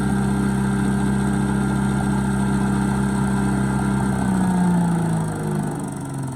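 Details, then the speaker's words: Bolens 3.5 chipper shredder, stored outside under tarp about 20 years, rodent nest inside, likes choke: steady even single-cylinder drone with constant low hum; runs perfectly. "So it works perfectly."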